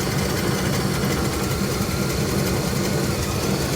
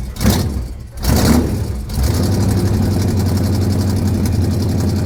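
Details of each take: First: Engine restarted after tightening a leaking fitting, no leaks seen; even, low rumbling idle with steady firing and no misses, knocks or stumbles; normal idle. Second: Engine cranks in a few rough bursts with fuel leaking, then catches and settles into a steady deep idle; believed flooded, fuel leak believed gone; hard starting.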